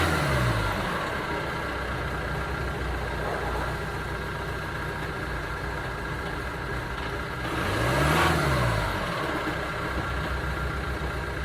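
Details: 2009 Ford Transit Sport diesel van idling with an uneven, stumbling beat, and one rev blip doesn't smooth it out; engine misfire, cause unknown.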